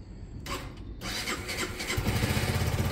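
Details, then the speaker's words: Honda CB200: brief starter whirr, then it catches and settles into a steady, even thump around four beats a second; normally starts well, healthy start and idle before a lights check. "normally it starts pretty well although would be surprised if I jinx myself here"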